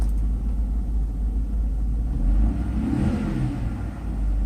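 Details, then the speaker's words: Mercedes SL600 after repair of a throttle (E-gas) module that failed from shorted throttle body wires: deep even rumble swells on throttle, then settles; idle speed correct, acceleration fine, module works; any screech is the air pump. "yeah the idle speed is right where it's supposed to be acceleration just personally gets slightly no problems there so I think we're in good shape here and the module works"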